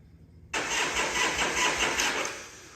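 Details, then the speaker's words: 1978 Harley-Davidson Shovelhead FXS Lowrider, long stored, first start on starter fluid: engine catches abruptly, runs rough about two seconds, then dies; the check ball in the original Keihin carburetor's accelerator pump housing was sticking, blocking fuel flow. "Right there is the accelerator pump. That little housing has a check ball in it. For some reason, it was sticking."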